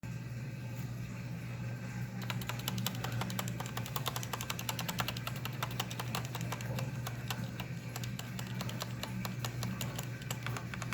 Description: Better example of clicking/ticking noises of corsair k65, those are cherry mx reds, they should not be any where near this loud or clicky.